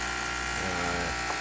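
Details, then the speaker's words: Breville 800ESXL espresso machine after replacing ULKA EFP5 120V 52W vibratory pump (previously sputtered, struggled, poor flow): steady even buzz with no labouring or pitch sag, brewing fast at good pressure; normal pump operation. "Wow, that's fast too, because I'm so used to waiting longer because of the pump struggling."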